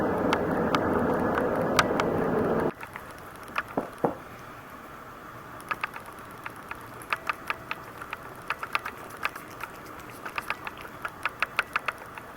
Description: Canon ELPH 310 HS / clicking noise when shooting video PROBLEM !!!